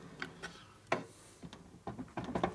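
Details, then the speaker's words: Faint, irregular light clicks as a part on a 1972 Harley-Davidson XL Ironhead Sportster bobber's clutch/primary is turned slowly by hand, barely touching every 2 or 3 turns; light contact tick. "Hear the hit? Barely touches. Hear it? Yeah, just Every 2 or 3 times it"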